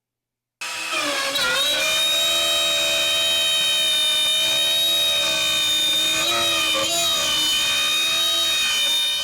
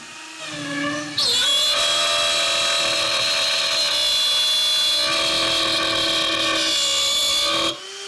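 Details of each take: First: Shapeoko Pro CNC router in an accuracy test, cutting a circle at the same depth after aggressive cutting: steady high whine with even overtones and only small pitch dips; cuts cleanly without bogging. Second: Shapeoko Pro CNC router pushed past recommended feeds and depth of cut in wood: spindle whine turns into a loud, harsh screech growing louder as the bit struggles under an overloaded cut; risk of burning the wood.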